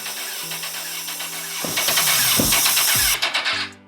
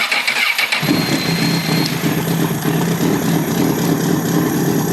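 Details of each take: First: Crashed 2006 CBR1000RR cranking in short rapid bursts that never catch. Ignition pulse and spark are present and cam timing is fine, so no fuel stops it starting. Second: 2006 CBR1000RR with 22,995 mi, idling during a head-gasket test after coolant was found. Catches after a brief crank and settles into a steady, even idle with no ticking or misses. Test passed, no blown head gasket.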